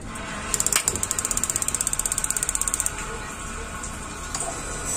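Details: Gas water heater whose flame lights only briefly and igniter works intermittently, tested after cooling: rapid igniter ticking about three sparks a second that stops after a couple of seconds as the flame cuts out; the ignition module is suspected, not confirmed.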